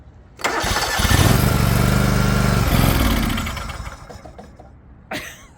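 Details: Liquid-cooled Kawasaki twin in a non-running John Deere LX178 project mower, after refitting the ignition switch and a replacement ignition module: cranks, catches at once, even twin beat for a few seconds, then winds down; starts and runs cleanly.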